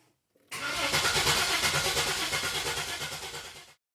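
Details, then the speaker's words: 2004 Buick Regal GSX turbo 3800 with turbo and cam upgrades, first start after the build, on a new Walmart EverStart battery: starter spins briskly and evenly for about three seconds with steady compression pulses; cranking healthy. "Battery sounds good. Got a good old Walmart EverStart. Had the same exact thing in there."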